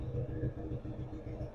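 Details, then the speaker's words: Yamaha Raptor 80 shaft-drive ATV, started after replacing the key switch, carburetor, battery, petcock and fuel filter and adding fresh fuel: the small single-cylinder engine settles into a steady low idle with no misses or mechanical noise. It is idling normally. "Let's fire it up. And she's running."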